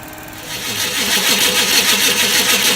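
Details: 1995 Chevy Caprice parked almost 3 years: steady, even, strong cranking that never catches, a crank-no-start. The owner next tries more gas and pouring fuel in the tank.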